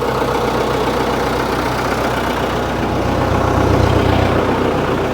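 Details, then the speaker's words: Case 1845 skid steer diesel, first start after reinstalling hydraulic pumps, throttled back: steady even idle with a low thrum and no hydraulic whine; normal idle, though both drive neutrals still need adjusting as the axles turn. "throttle back push the button sounds all right so far"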